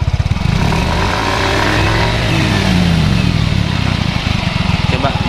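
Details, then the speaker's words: Yamaha Mio Soul 125 scooter on stand after rear wheel axle bearing replacement, revved gently: even revving, no rumble or grinding from rear wheel; noise fixed, sounds healthy. "Jadi sekarang mesinnya sudah halus Oke Coba dites jalan"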